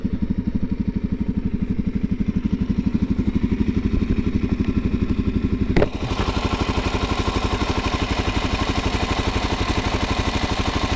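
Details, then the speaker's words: 2019 Suzuki DRZ400SM with a completely stock engine at 452 miles and one service, idling: steady single-cylinder thump with light, even valve tick. Noisy but healthy idle. "I mean, as you can hear, they are a little bit of noisy engines, but overall I think if your bike sounds anything like this, you'll probably be good."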